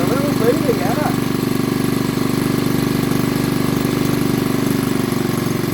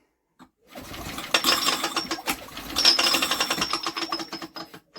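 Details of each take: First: Old BSA 50cc single-cylinder engine, first run after years sitting under a bench: even low putter about two and a half beats a second, steady at idle; sounds healthy. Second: Old BSA 50cc engine, out of a shed after years unused, spun over by hand while checking for spark: uneven tinny metallic rattle in bursts as the flywheel rubs on its cowling tinwork.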